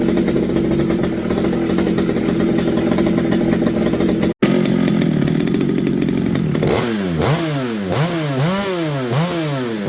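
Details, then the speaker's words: McCulloch BP1 balance-piston chainsaw after a carb kit rebuild, new fuel line and gaskets, drawing its own fuel from the tank: crisp, steady two-stroke buzz with clean blips that rev freely; normal running. "he sounds pretty good sounds like a modern day chainsaw"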